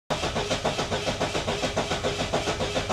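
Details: Saab cranking steadily, about four even compression pulses per second, never firing: crank-no-start; spark confirmed afterwards, fuel delivery still unchecked.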